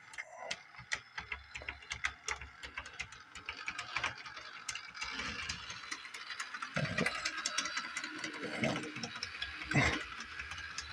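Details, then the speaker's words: Bachmann doodlebug model locomotive after repair: quick irregular clicks over a faint motor buzz as it runs, then it stalls; owner suspects the truck needs cleaning. "you can hear it clicking but it is kind of run"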